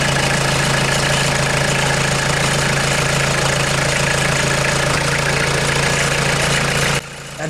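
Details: 1996 Mitsubishi Delica L400, 2.8L 4M40 diesel, just started after head gasket replacement: steady, even diesel clatter with a low, constant idle tone and no misses or knocks. A healthy idle.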